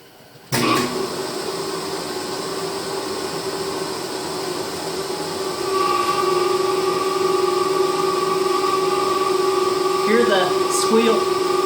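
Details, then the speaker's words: 10 HP rotary phase converter idler motor powering a shaper, originally very quiet: starts with a steady hum, then a high, continuous squeal settles in over the run; motor squeal. "We'll see if we can get this thing to squeal, because that's what it does, and you'll see why I want to fix it."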